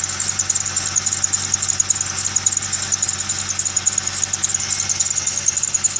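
Idling engine with a shrill, fluttering chirp repeating under two times a second; squeal from the accessory belt area.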